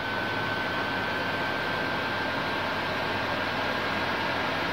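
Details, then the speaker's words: PS4 Slim with an overheating problem, before disassembly and cleaning. Loud, steady airy rush with a thin high whistle as the fan speed climbs and runs flat out; an overheating message is expected shortly. "as you can hear the fan sound it is somehow out and after a short time it will give a message give a message yes the fan speed is going higher"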